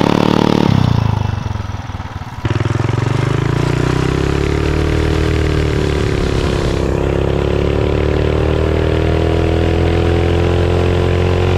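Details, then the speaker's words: 420cc/440cc big-block single swapped into a Mega Moto 212 chassis, running after valve adjustment and a fix for the rod bolt hitting the block (the loud knock). A blip settles to a steady, even run with a light normal valve-train tick and no knock. "I know you still hear ticking but that's just the valve train sound on a big block and now with the valves adjusted it's even better"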